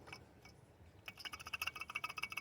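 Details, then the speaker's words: Old water pump from a 2002 Chevy Trailblazer LS, removed and spun by hand, gives rapid, uneven dry clicking and ratcheting. The owner traced an engine squeak to it and it was wobbling violently. Worn bearing; replaced along with the serpentine belt. "I mean you could just hear how bad it is but I could spin it when I spin it it sounds really really janky and ratchety"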